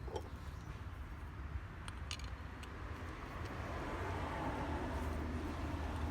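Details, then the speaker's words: 2012 Toyota Vitz AC compressor after adding a 0.25 mm shim under the clutch (conductor) plate washer. A few light clicks, then a low, steady hum with no scraping. The rubbing noise is dramatically reduced; normal pulley. "So, there you go. That noise has dramatically reduced. And you don't hear it anymore."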